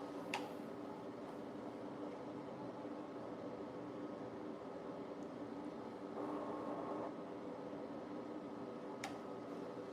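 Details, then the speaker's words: New countertop ice maker running; a quiet, steady airy whir with a faint even hum and no rattles, from air blowing out of a side vent, the fan running normally. "So, right now it sounds like some air is blowing on the side. It's It's this thing here. Let me show you guys here. This right here on the side is blowing like air out of it."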